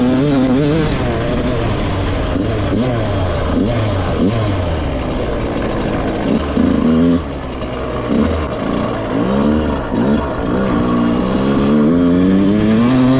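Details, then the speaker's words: Rebuilt 2001 Yamaha YZ125 two-stroke, ridden: crisp note climbing and dropping cleanly through the gears, no stumble or bog; jetting spot on, air screw maybe slightly off. "well I'd say the jetting is pretty much spot on um there could be a slight slight adjustment to the air screw but I'm not even going to mess with it it's pretty good"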